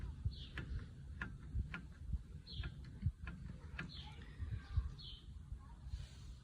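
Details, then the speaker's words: VW Polo with Aisin automatic in winter, rolling over small bumps: irregular dull clunks, one or two a second, from play in the inner CV joint splines, not the differential or tripod; the rack has no play, stabilizer links were replaced and the calipers checked. Owner suggests replacing the retaining ring. "люфт внутреннего шруса АКПП в шлицах внутри это не Диф не трипоид целиком корпус ходит не подшипники дифа"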